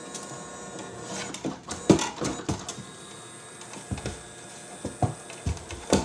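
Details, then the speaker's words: Creality 3D printer CFS filament changer after reboot: irregular clicks and short motor whirs every second or so in a quiet room, feeder rotating backward and stopping instead of loading filament; cause unknown. "But when it go to that one, nothing happened. It go rotate backward. And stop the process."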